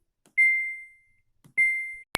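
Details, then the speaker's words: Samsung washing machine control panel that won't start, beeping twice on Start: here the proper single clean high beep, demonstrating the correct one-beep acknowledgment versus the fault's double beep. "Tapi kalau di start ada bunyi bip 2 kali. Seharusnya sekali kayak gini. Itu sekali."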